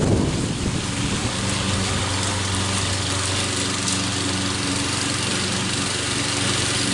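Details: Troy-Bilt mower after head gasket repair using parts from another engine, cutting grass: steady even drone holding pitch, no hunting or surging; running properly.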